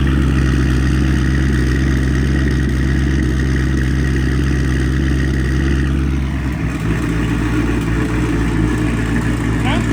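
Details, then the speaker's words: 2000HP twin-turbo Lamborghini with Comp Turbo turbos, not yet heat-cycled and bearings possibly tight: deep strong engine note holding steady then easing off smoothly, no rattles, scrapes or whistles; sounds good. "I mean, it sounds good."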